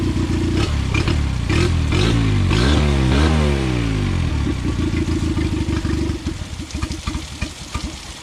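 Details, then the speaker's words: Dropped 9.9/10 hp outboard surges up and down, then firing turns ragged and stumbles as it dies; fuel leaking between air box and carb, carb overflowing from misadjusted float; flooding, fix is adjusting the float. "you see the puddle down there that's fuel leaking it's leaking between the air box right here in the carb which is telling me is that the carb is overflowing with fuel so i'm gonna adjust the float on the carb that's her problem"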